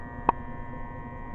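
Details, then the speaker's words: 12 V DC to AC inverter on two dual-cycle batteries powering a 1250 W heater with coils glowing red; low steady hum with buzzy edge, inverter buzz under heater load. "I'm gonna turn that off you can hear the buzz now it's not a good idea to really run anything with heating elements off your murders it can be done"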